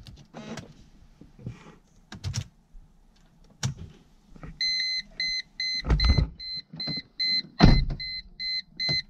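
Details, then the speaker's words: 2002 Mercedes-Benz C240 (W203) at startup, in the cabin: irregular dull knocking from behind the dash as an HVAC stepper motor struggles to adjust the flaps, with a warning chime; usually stops after 15-30 seconds; the motor gets replaced. "hear that knocking sound? The motor right behind this dashboard here, right below, just a little bit below it, is having a hard time adjusting the flaps for the AC or for the HVAC system."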